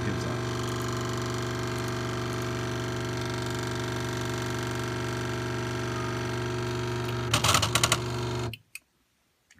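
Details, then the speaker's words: Delta 3D printer DLT-180, single Z stepper jogged in manual mode, driver reference about 0.684 V: steady buzzing drone with several fixed tones, then clicking clatter; runs rough, owner unsure if voltage or stepper wiring is at fault. "I'm going down point one here's down one and then it starts clicking so you think that would be something with the plot you know whether it needs more voltage or less voltage I don't know"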